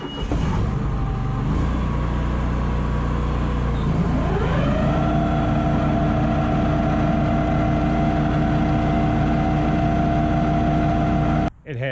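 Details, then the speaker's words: Walker mower after deck gearbox repair and a fluid refill, blades on and blower belt off: a steady, loud, even gearbox hum typical of Walkers, with the earlier metal grinding gone. "that same hum that all walkers do that you can hear that gearbox noise a little bit it's a you know that kind of louder hum but no obnoxious horrendous metal grinding together noise that I was having"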